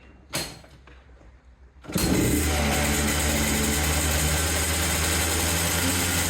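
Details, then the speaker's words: Hard-used Yamaha Blaster two-stroke quad after correcting a throttle cable adjustment that had been backed all the way out: cranks once, catches and settles into a steady smooth idle. Transmission seal still leaking oil. Normal idle. "all right that was it very good okay uh it's still dumping oil out of that transmission seal so I have yet to figure that out but it now runs and throttles and Idols which is really dope"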